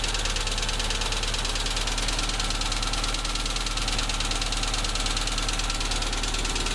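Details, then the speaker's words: ZAZ Tavria MeMZ-245, about 800 km after rebuild with Avtramat pistons and 1.2 crank, at idle: light, sharp metallic knock about three times a second, louder with cylinder 4 cut out; exhaust and pull normal; suspected cylinder 4 piston pin knock. "Пробуем запустить. Стук отчетливый. Пробуем отключать цилиндры. Отключение 4-го цилиндра. Стук усилился."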